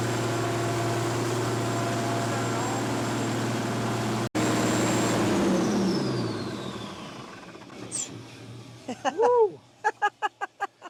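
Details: Abandoned repo'd Case cotton picker with Cummins diesel, after missing fuel line fixed and air purged: strong, steady low diesel drone at even speed, then clean wind-down at shutdown; running well.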